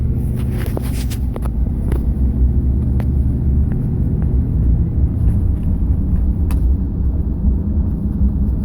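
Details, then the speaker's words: 2005 Chevrolet Silverado 2500HD on a test drive over rough patches where the steering column used to rattle for about 10 years, after replacing the steering column bearing: steady low road rumble, occasional faint tick, no rattle; steering feels tight, fix confirmed. "So, here's a spot where it would normally rattle. Listen. No rattle. It's beautiful."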